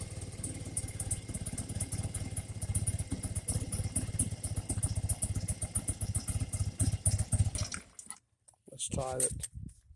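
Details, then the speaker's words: 1984 BMW R80RT airhead twin, warmed up, after cleaning rust from Bing carburetor float bowls and fixing float leak; low, even putter at idle, no misses or hunting, before shutoff: normal warm idle. "But it's got a lacking gas cap on there now. Sounds a lot better, really."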